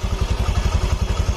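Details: Honda Vario FI scooter after engine rebuild (destroyed piston replaced): quick even low thumps at steady idle, no misses, knocks or rattles; breather no longer smoking, engine running healthy, needs break-in.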